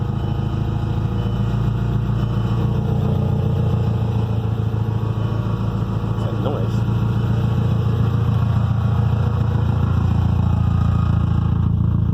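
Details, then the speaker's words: Engine of the 20th started for the first time after head work; catches and settles into a steady even idle with a low smooth beat, running cleanly with no knocks or misses. "Okay. Oh, that's a nice sound. That's nice. Woo!"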